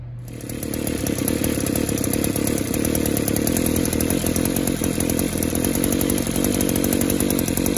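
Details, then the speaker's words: Two-stroke small engine after fuel system pressure test: revs climb then hang in a rough, blubbering drone that never clears; still loading up, suspected clogged exhaust or scored piston and cylinder, to be checked. "it still wants to load up it's going broke one of two things that could be exhausted stopped up and or the piston is cylinder could be scored"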